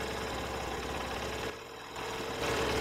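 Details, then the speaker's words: New Honda Shine 100cc single-cylinder bike at idle: a quick, even tick with a short dip in level partway through; exhaust neither too loud nor too quiet, a new engine idling normally. "Silencer का sound सुनिए कि ये कैसा sound कर रहा है। बहुत ज़्यादा लाउड भी नहीं है, बहुत ज़्यादा साइलेंट भी नहीं है,"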